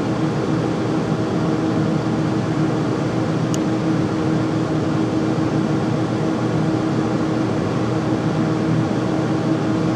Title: Furnace making loud noise when running